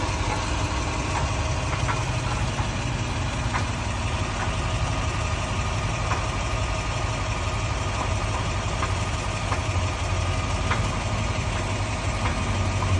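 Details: 2001 Toyota Sequoia 4x4 V8 idling with a deep, steady rumble while faint, irregular clunks sound every second or two; owner unsure whether it's the transfer case or noise echoing down the drive shaft.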